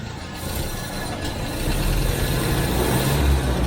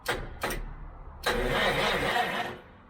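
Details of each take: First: Vintage Citroën HY72 van engine, off the road 40 years and unrun for 8, revived without a fuel tank after a two-and-four mix-up was corrected: picks up cleanly on throttle blips and settles back without stumbling. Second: Citroen HY72 van, not run in 8 years, off road 40 years, no fuel tank fitted, new points and coil, fuel now flowing: short bursts then steady starter whirring with no firing; cranks but won't start, owners suspect missing spark.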